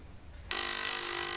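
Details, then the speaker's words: 3000W voltage stabilizer before repair: at switch-on a harsh steady high buzz holds; relay chattering on weak supply from dried-out electrolytic capacitor, to be replaced (470 µF 50 V tried). "Cuma dia tidak bagus suaranya, ini mengganggu telinga gitu ya. Coba kita ganti dulu elkonya gitu rekan-rekan, kita ganti dulu nih ya rekan-rekan ya."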